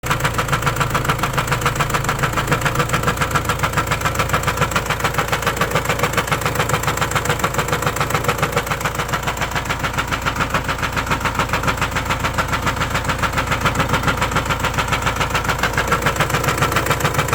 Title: M9R engine from Renault Espace1.6 DCI making knocking noise someone knows from where com this noise